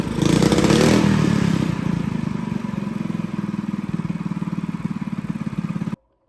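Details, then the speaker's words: Honda GX200 clone go-kart engine after installing tank and clutch and re-jetting the carb; revs briefly, then an even, steady thump around idle until shut off, normal running. "So guys, she sounds pretty good."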